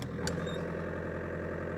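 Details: 2006 Audi A4 Avant 1.9 TDI PD diesel, a little over half a million on the clock, after its accessory belt tensioner bolt broke and the belt was lost; catches after a short crank and settles into a steady, even low idle, no knocks or squeals.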